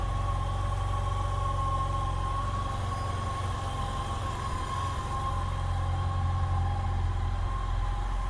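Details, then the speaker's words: 2007 Yamaha FJR motorcycle, replacement engine on first start after the original died: even, steady low beat holding a smooth idle, no knocks or rattles; owner says it sounds much better than the old engine. "This sounds a lot better than the engine that was in it. Wow."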